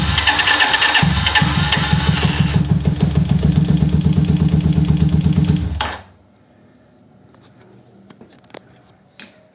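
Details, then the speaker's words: 125Z motorcycle, cranking: rapid even pulses with an occasional sharp crack (tronido) as the starter engages, intermittent slow or failed starts; Bendix suspected. "como verán, de repente se alcanza a escuchar el tronido que hace."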